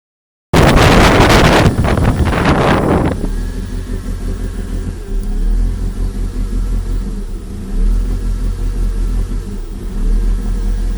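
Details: Toyota MR2 with 3S-GE Beams petrol engine, after new spark plugs and fuel injection cleaner, with no vacuum leaks found and professional wiring: uneven idle whose low rumble rises and dips instead of holding steady; cause still unknown.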